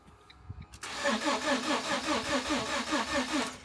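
Starter cranks in steady pulses about twice a second for three seconds but it never fires; crash-tripped fuel cut-off switch.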